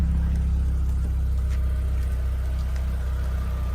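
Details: Audi TT revived after eight years stored in a barn: low, smooth, quiet idle hum, steady and even with no ticks or knocks. Engine running healthy.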